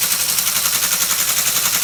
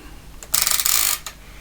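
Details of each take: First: Restored ASR33 Teletype printer motor running at 90 volts after previously drawing over seven amps unloaded: fast even mechanical clatter about four beats a second, no labouring; now drawing around one amp, not overheating, running normally. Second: ASR33 Teletype printer during restoration; short loose rattly clatter as the print head is raised and lowered on its one-side support post; badly worn print head lift bush with heavy play, replacement bush may be needed.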